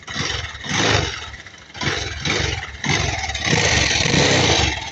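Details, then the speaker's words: Kawasaki Rouser 220 motorcycle revving with heavy vibration and loud harsh clatter surging with throttle, abnormal for a 220. "so sobrang ingay, no? Hindi kasi normal to pag ganito sa 220."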